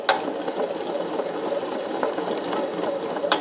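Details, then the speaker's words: 2018 Beta X-Trainer motorcycle engine torn down, crank turned by hand: fast gritty rattle with sharp clicks from the failed crankshaft main bearing. "And now that I've got that everything tore apart, you can hear that bearing. Listen to that."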